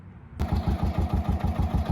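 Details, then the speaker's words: 2011 Kawasaki Mule 610 XC, 1,000 hours, after topping up low engine oil, leak still unfixed; starts quickly and idles at steady low thump about five beats a second, most engine noise gone. "So amazingly, now I've started it with oil in it and most of the engine noise is gone. So if you know you're hearing something, check the oil."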